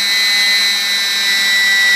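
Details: E-flite P-51D BL UMX brushless motor on the bench, throttle stepped from 60% to 100%: smooth, high, steady whine with propeller rush and no rough spots or cutouts; seems to back off slightly at 100%, probably battery discharge rate; normal.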